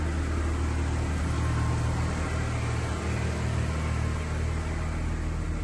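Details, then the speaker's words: 2003 Chevy Trailblazer LTZ 4.2 inline-six idling just after a rusted fuel pump replacement, with about 5 gallons of fuel added. Smelly exhaust smoke appears on a vehicle that never smoked, cause unknown. The idle is steady and low with an even rumble and no knocks. "I don't like the smoke coming out of the exhaust though. And it stinks. I don't know what that's about. This vehicle never smoked. Oh, it's smoking now."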